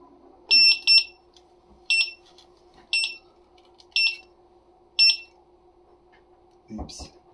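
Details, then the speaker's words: Electric unicycle (Master) at power-on: sharp high chirps, mostly quick pairs about once a second over faint hum, when lifted to balance; won't balance, headlight dead; fault alarm, cause unknown. "So you can see it's not balancing. I can set it down. If I bring it up, like it's supposed to start balancing, it'll start beeping."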